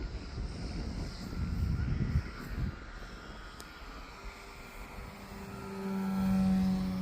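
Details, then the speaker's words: Al's 12-foot giant RC airplane on a low pass at full throttle, after earlier vibration: wind rush then a clean steady motor drone with no chatter or shake; the vibration is gone, normal running. "Oh, I don't hear it now. It's gone. That's so weird."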